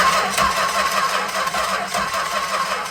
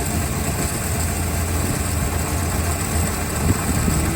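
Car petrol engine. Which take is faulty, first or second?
first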